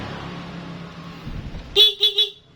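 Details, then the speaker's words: Old Honda Vario 125 injection that had a humming fuel pump but no starter or horn, after jumpering a wire: low engine murmur then three sharp, strong horn toots; horn working, ignition switch suspected. "Nah, setelah ditempel begini tuh ke se juga ada ya untuk klakson."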